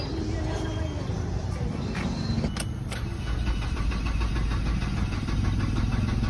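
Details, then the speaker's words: Ford Escape broken down overnight, cranking: starter turns steadily and fast but the engine never catches, no fuel delivered; fuel pump at the tank removed and replaced, after which it started. "Ayaw na start for skip Aya start mga Bossing Sige redondo Sige Isa pa walang gas Sige Isa pa OP wala Wal siyang bagtang gas walang bubuga"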